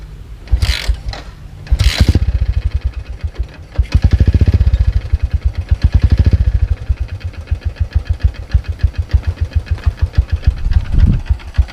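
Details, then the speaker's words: 2012 Yamaha Byson after 10,500 km of touring over 100 days, kick-started; heavy regular low thumping rising with revs, same knock as first appeared in Bengkulu but slightly noisier, open air filter audible; engine knock, cause unconfirmed. "suaranya masih sama seperti Kalau waktu di Bengkulu kejadian pertama kali walaupun Memang agak lebih sedikit berisik sendiri ya"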